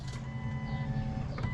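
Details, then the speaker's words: 1998 Jeep Cherokee XJ after fuel sending unit replacement for a crank-twice-to-start problem, tested at key-on before reassembly: a brief, steady electric whine of even pitch as the fuel pump primes normally. "okay I could hear the pump close it turn it on yeah or open it again"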